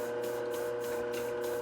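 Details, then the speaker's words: Globe SP08 mixer kneading a 3.5 lb batch of 53% hydration dough with the hook: steady motor hum with rhythmic creak about every quarter second, straining under load, though within manufacturer's 4 lb limit. "So we'll just let it run here for a minute, and you can hear some of the creaking that I'm talking about. And again, we're only doing 3.5 pound batch at 53% hydration."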